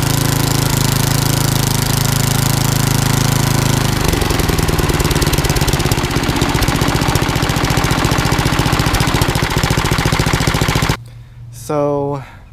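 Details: Old rusty Tecumseh 10 hp HM100 after a genuine Tecumseh carburetor swap and governor linkage correction: settles into a steady, even chug about three beats a second with no miss, then shuts down cleanly; healthy running.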